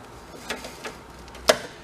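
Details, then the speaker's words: Big Joe personal electric man lift: sharp dry relay clicks as power is switched on and off, the relay pulling in and opening normally; fired by hand while testing forward and reverse. "Yeah. So the relay is working, it's pulling in."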